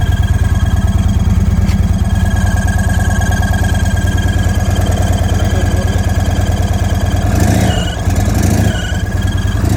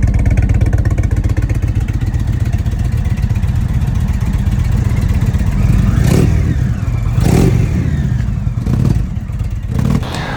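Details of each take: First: 2023 Indian Sport Chief 116 V-twin, new with 222 miles, idling with a steady high-pitched whine over the thump, traced to an air leak past an off-center intake. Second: 2021 Indian Vintage Dark Horse 111 V-twin for comparison: deep, even rumble with quick throttle blips and no high-pitched whine, unlike the owner's 2023 Sport Chief 116 whining at 222 miles.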